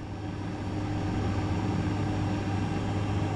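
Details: GE refrigerator, normal steady low compressor hum with no clicking after replacing the compressor overload relay (OEM WR08X10089 replaced by WR07X10131); before the fix it clicked from the bottom and wasn't cooling.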